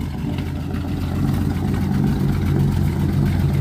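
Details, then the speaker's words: 1946 Power Wagon engine just started cold on new carburetor, no choke or priming, under 30 seconds running: deep steady note climbing smoothly with throttle, no stumble or misfire; clean revving. "oh my God you can actually rev it up now listen to that"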